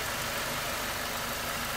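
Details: 2012 Mercedes C250 M271 Evo turbo petrol after replacing the cam phasers, cam chain, tensioner, guides and gaskets: smooth, even idle under a steady hiss with no knocking or rattle; normal idle.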